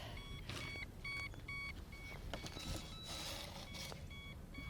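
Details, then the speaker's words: Gyroboard hoverboard torture test, battery nearly drained with green light flashing and balancing weakening: repeated short high double beeps over faint motor and rolling noise; low-battery warning. "Well, I almost got it down to a dead battery. It's flashing the green light. I assume that means dead. And I noticed that it's having a harder time keeping me upright."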